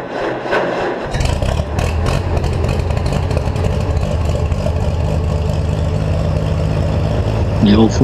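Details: Cockshutt 40 tractor with updraft carburetor, parked several years: engine grinds over, catches about a second in, then settles into a steady low uneven run; hard starting after long storage.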